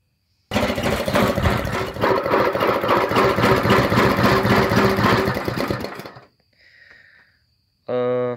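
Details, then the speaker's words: Honda GX270 go-kart engine with junk carburetor and a hairline crack around the exhaust valve inside the valve cover: a small single barks at a fairly steady, slightly uneven ~220 beats a minute. It runs only on choke; carburetor fault. "has a small hairline crack around the exhaust valve right there inside the valve cover but it runs great but only on chokes so I'll start it up for you guys so y'all can hear it"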